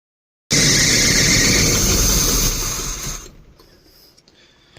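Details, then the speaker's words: 1972 Barth motorhome, first start attempts in 15 years after charging battery and filling the empty carburetor with fuel, fuel filter leaking: loud, steady high-pitched screech during cranking that fades after about three seconds; cause unclear. "sorry for all the screech in there guys I'm gonna try and get her going again here"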